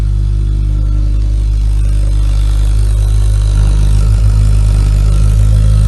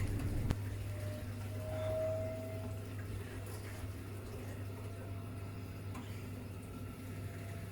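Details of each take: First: Ideal Logic boiler running with a heavy, steady low roar and throbbing hum, much louder than normal; after a proper service it runs noise-free. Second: Ideal Logic gas combi boiler running quietly after a proper service: steady low hum and faint water movement, no knocking or kettling; noise fixed.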